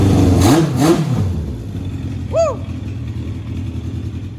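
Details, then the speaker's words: Race car after repairs, started with battery at 56 percent; header bolts holding, no leaks seen. Two clean throttle blips rising and falling crisply, then even idle with no stumble or knock; revving normally. "well that is good news that seems to be revving right"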